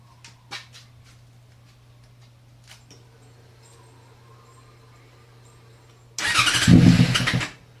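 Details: Yamaha FZ6 no-start: quiet cranking, then fires on starter fluid in a rough uneven burst and dies; barely holds idle when feathering throttle, dies immediately if throttle applied.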